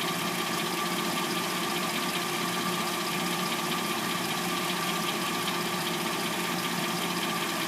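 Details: 2006-09 Hyundai Sonata replacement engine: fast, uneven metallic clatter at warm idle after a cold start, about two to three clacks a second; owner suspects timing chain, not confirmed.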